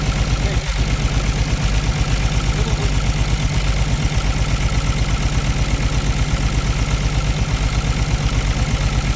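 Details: Caterpillar C13 heavy diesel idling with valve cover off during an injector cut-out test, rough uneven thump near three beats a second, heavy smoke; misfire suspected from a bad injector or rocker arm problem, not confirmed.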